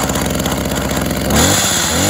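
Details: Tanaka THT210s hedge trimmer, a former non-starter: the small two-stroke catches on a cold start with choke and primer, settles into a steady buzzing run, then picks up revs cleanly. It runs normally.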